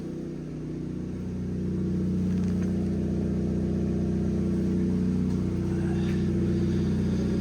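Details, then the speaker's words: Cat S salvage car with rear damage at idle: steady run with a puffing, chuffing blow that rises slightly as it settles; exhaust leak at the front flex section, owner plans to replace the whole exhaust. "uh the trouble is the exhaust is blowing can you hear it blowing that's obviously on the flex SE at the front"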